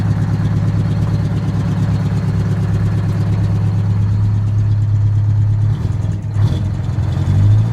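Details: Detroit 8V-71 two-stroke diesel in a 1969 International 400 dump truck, air-started because of a cracked flywheel housing, running after an injector rack check following a runaway. A deep, even drone that dips and picks up cleanly on throttle, no knocks or misses.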